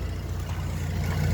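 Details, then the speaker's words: Holden VE SV6 that sat for months with little and possibly stale fuel: a low, uneven idle rumble that wavers, sounding about to die, with heavy smoke afterwards. Owner suspects bad fuel; not confirmed. "It's about to die it sounds like. Bloody hell. Doesn't sound very good."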